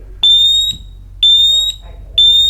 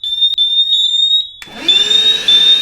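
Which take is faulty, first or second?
second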